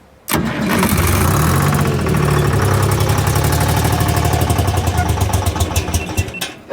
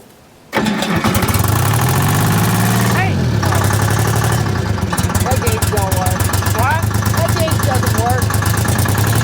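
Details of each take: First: Michigan 55A loader, 3-53 Detroit Diesel rebuilt after 14 years abandoned and seized from water in cylinders: fires and roars, then beat goes ragged and pulses slow until it dies; air suspected, not confirmed. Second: Detroit Diesel 3-53 two-stroke in a Michigan 55A loader, rebuilt after 14 years seized from water: cranks briefly, catches at once and settles into a steady, even diesel clatter at idle with no knocks.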